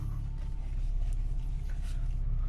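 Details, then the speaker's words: Audi 80 at idle after reinstalling front struts to cure a driver-side spring creak when steering: steady idle with a power steering pump whine, no creak or groan as the wheel turns. "пробный запуск двигатель запущен слышно как воет насос ГУРа Я уже попробовал все тишина никаких скрипов"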